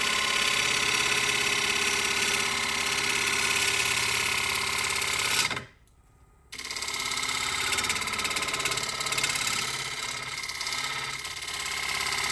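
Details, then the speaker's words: Wood lathe cutting a punky spalted oak bowl: fast, even rattling buzz about 3.5 beats a second; chatter persisted throughout, traced to the wood screw chuck and gone with a screw plate instead. "So I did have that chatter throughout the entire bowl. After some more playing and experimenting, that's how I determined it was, in fact, the screw that was giving me all the problems."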